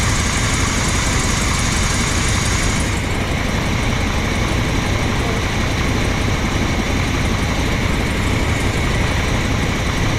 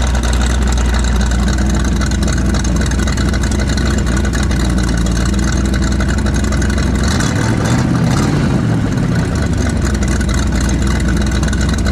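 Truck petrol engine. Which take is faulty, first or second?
second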